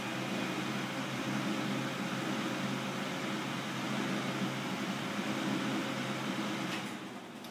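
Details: G-Tec TB-125 natural gas torch booster, fan and compressor started: steady even fan rush with low compressor hum, no knocks or rattles; running normally.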